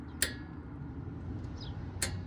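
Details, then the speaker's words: Old gas-powered Hobart engine-driven welder, electric fuel pump switched on: two crisp clicks about two seconds apart over quiet background. Normal fuel pump/solenoid operation. "Okay, we should hear this thing do something if I flip it to the on position. So let's find out. Yep, sounds like a fuel pump to me."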